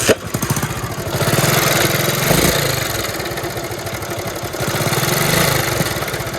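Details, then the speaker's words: Honda CD 70 (70cc) motorcycle idling with a loud, fast metallic clatter from the timing chain, which is to be replaced; the silencer also has an issue. "इसके silencer का मसला भी है लेकिन इसके timing चैन की आवाज भी आ रही है तो हम इसकी टाइमिंग चैन को चेंज करेंगे"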